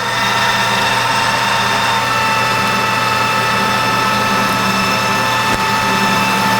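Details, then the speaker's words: Newly reassembled 1988 Rutland lathe at about 620 rpm roughing a steam wagon axle blank: steady motor hum with clean high tone under cutting load, slight harmonics heard but not showing on the part; running healthy. "Sounds good when the load's on there, right? That's just a little bit of harmonics here somewhere. I mean, it's not showing up on the part, but I can hear it."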